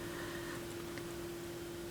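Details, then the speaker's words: Technics SL-B5 turntable, stereo on with a record playing: a faint, steady low hum that never swells or buzzes, just ordinary phono stage hum with no added hum. "There's no hum. Just kind of regular phono stage hum, so that's cool."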